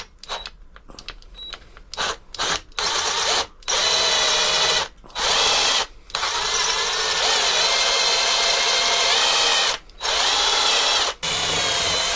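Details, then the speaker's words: Cobalt-tipped DeWalt Extreme bit drilling metal at a garage bench for a 24V carp barrow conversion, WD-40 applied to stop heat build-up. A steady high-pitched whine in bursts as the bit bites cleanly: it cuts properly, where before it just slipped on top. "you can see there straight away that's taking, you can hear it. Before it was just basically slipping, the drill bit was just slipping on the top, wasn't penetrating it at all. So this is better."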